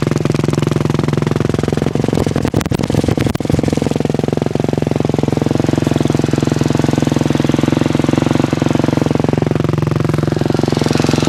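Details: 2006 KTM 250 SX-F: a fast, sharp top-end clicking of about three to four clicks a second over the running beat. The cause is unclear, and the owner suspects the timing chain tensioner.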